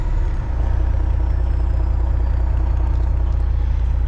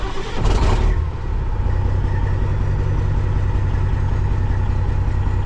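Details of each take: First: Kenworth cabover diesel truck at fast idle and throttle: deep, even rumble with no stumble or burble, check engine light out after running diesel clean through and letting it warm; owner guesses a gummed or stuck injector cleared itself. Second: Kenworth cabover diesel started with its original ECM temporarily swapped in as a test; not charging, low voltage. Cranks and catches, then settles into a low, uneven idle with an irregular stumble; still stutters, not much different.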